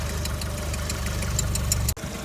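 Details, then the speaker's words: Skoda Octavia Tour 1.4 BCA 16-valve at idle: light, sharp tick three or four times a second heard from the cylinder head; hydraulic lifters already bled without change, owner unsure if lifter or something else. "вот слышно стук небольшой всё думал на гидре сейчас уже какие-то сомнения появились звук как будто с этой стороны но идёт из головы"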